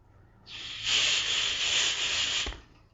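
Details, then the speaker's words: Car air conditioner DIY recharge with a refrigerant can containing leak dye, just after the can is punctured: a sharp, steady gas hiss for about two seconds, then it stops, a short release purging air from the charge hose. "And that little bit that came out is perfect because now it's taken all the air out of here."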